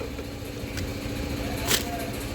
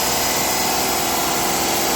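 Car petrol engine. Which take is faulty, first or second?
second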